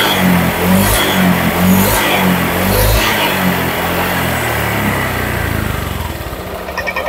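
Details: Honda Vario 150 scooter engine reassembled after overheating, fast coolant loss, oil loss and rough running; warmed up, coolant circulating through water pump and thermostat. Smooth clean revs settling back evenly, no knocks or rattles; normal revving.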